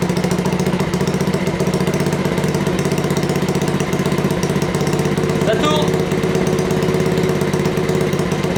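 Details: Honda Dax project bike, first start after wiring-harness install and carburetor setup, with Keepspeed exhaust: quick, even single-cylinder putter with crisp exhaust bark at steady idle, no misses or knocks; running cleanly.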